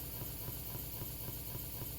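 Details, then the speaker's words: Central AC indoor blower while the outdoor compressor is running: a low steady electrical hum with faint pulsing as the motor tries but fails to start, so no air comes out. Diagnosed as a bad capacitor, then replaced. "you hear that humming noise is trying to kick in but he's having trouble to do so the AC is still turned on"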